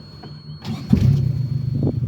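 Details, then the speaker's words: Mazda B2200, first start after 20 years with a new fuel system and primed carburetor: short crank, engine catches quickly and settles into a steady idle with a slightly uneven pulse; starts cleanly. "i can't believe she just turned over i mean i primed the carburetor but holy this thing just turns right on and just runs"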